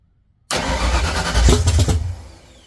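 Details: 1979 Mustang coupe 5.0 V8 swap, first start with carburetor bowl hand-filled: catches with rough burst, runs briefly then fades out; fuel pump problem.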